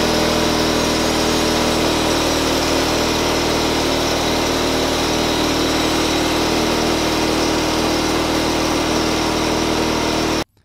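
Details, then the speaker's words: 1970s Simplicity 4040 Powermax garden tractor, hour meter reading 369 hours: steady, even engine drone with no misses, knocks or hunting for ten seconds, then clean shutoff; runs healthy. "The engine does run really, really sweet, as you can hear here."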